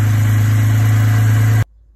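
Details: Holden Commodore VZ six-cylinder, started after bypassing the starter relay because the ECU fails to ground it (no-crank fault): smooth, even low idle hum with no knocks, then a clean shutoff.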